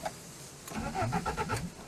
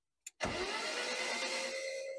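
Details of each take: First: BMW 316i Compact being revived, cranking on starter: short burst of quick, even engine turnover; starter cranking sounds healthy. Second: BMW 316i Compact after injection refitted, owner suspects an injection problem: starter whirs about two seconds and fades without catching; cranks but won't fire, cause unconfirmed.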